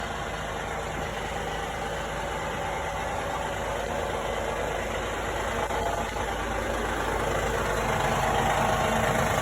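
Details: 2016 Honda Odyssey petrol engine idling cold, with a soft, loosely regular knock, roughly two per second, under the engine hum.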